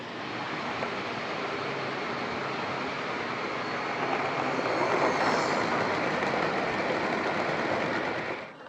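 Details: Old Lima Class 31 model locomotive in freight livery, overhauled, with extra pickup on front bogie, running round the layout: smooth, even whir at steady pitch, no stutter or dropouts, fading away; normal running.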